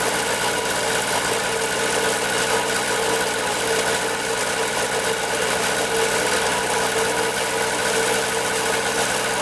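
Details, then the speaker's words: 1974 Honda Elsinore MR50 50cc two-stroke on a second carb-cleaner spray test, after a fresh gas mix. The rapid idle doesn't rise or drop, so there's no air leak; the owner suspects the carburetor. "all right so second test on and did the same thing didn't wrap up then rub down so there's no air leak just super strange"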